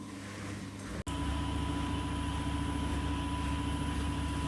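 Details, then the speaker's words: Simpson 8.5kg washing machine nearly full, Regular program, high water, cold, eco rinse; spinning about 800–850 rpm for five minutes; steady high-speed spin, even low rumble and constant whine, no banging; healthy balanced spin. "again, it is spinning at I'm thinking 800 or 850. It's about to go down in a minute. It's been spinning for about 5 minutes."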